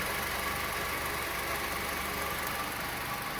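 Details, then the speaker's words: 2014/15 Honda Civic LXR 2.0 16-valve after repair of the accessory belt tensioner noise, engine put under more load: steady even roar, tensioner steady, no knock or tick; normal running under load. "E olha como eu como tensão fica paradinho e ele vai dar uma trabalhada quanto forçar mais o motor i"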